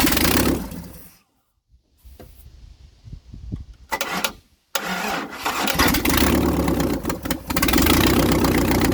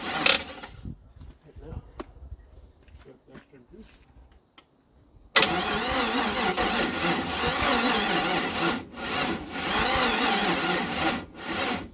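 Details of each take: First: 1956 International R180 with a junkyard 454 V8, first start, open exhaust. Cranks, stumbles, then catches into a loud steady rumble. No smoke; sounds like it's hitting on all eight: normal start and idle. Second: 1956 International R180 truck with junkyard 454 V8, first start attempt: starter cranks steadily but sluggishly for several seconds, never catches; weak battery suspected, small puff of smoke seen; crank, no start.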